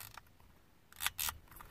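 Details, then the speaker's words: Used HVAC control head from a 1995 Chevy Suburban with non-working AC and recirc buttons, no AC lights: dry, scratchy clicks as the dials and switches turn; worn control switches clicking, unlike the quiet new AC Delco replacement. "This is the one that came out of the 95 Suburban. And if you listen, you can hear the dials. You hear that? You can hear it on all the switches."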